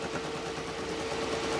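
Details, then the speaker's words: Small 35 PSI diaphragm pump in TIG welding water cooler on lowest setting, fast buzzing chatter with thin steady tone, pressure pulsing rapidly 25–35 PSI; stuttering pump, accumulator added to smooth surging. "on its lowest setting it Pulses from 25 to 35 PSI I had a gauge on it at one time but it pulse is very rapidly"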